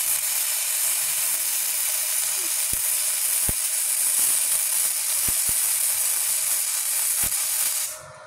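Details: Gasless flux-core MIG on a Multipro MIG-MMA/TIG 160, same settings but with the output connections swapped; the welder notes the sound differs. A steady frying hiss with only a few isolated pops, then it cuts off.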